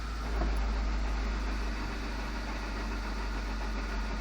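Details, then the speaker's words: 1994 Honda Civic EX manual at idle in neutral: loud, rough, fast gearbox rattle with the clutch released; persists after replacing throw-out bearing and input shaft bearing, cause undetermined. "on the clutch off the clutch it's in neutral making a very loud rattle sound"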